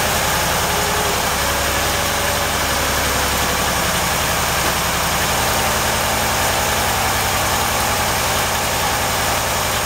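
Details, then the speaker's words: Cold start of a 383 stroker small-block V8 in a Chevy truck with carburetor, headers and Hooker turbo dual exhaust: one throttle pump sets the choke onto the fast idle cam, then it fires and holds a fast, steady, even cold idle with no misses or knocks. "I'm gonna hit the throttle one time to set the choke you'll see the choke butterfly close and it will come up on the fast idle cam and then usually just one little bump the starter it fires right up"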